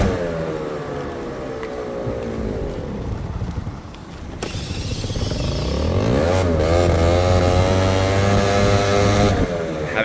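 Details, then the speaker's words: Scooter with auto-choke, warm engine with choke deliberately put back on: lazy, muffled idle that hesitates and bogs, doughy and slow, hardly wants to take off; running far too rich from choke left on. "go ahead and turn that choke back on so I'm going to open it up so now the chok's in the open position all right oh already pretty boggy really doughy and slow doesn't want to a"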